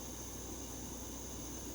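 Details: MSR Whisperlite International stove relit while still hot, with no priming needed, and coming back up to temperature after cooling slightly: a steady, even hissing roar with no sputter or surging, the burner running cleanly.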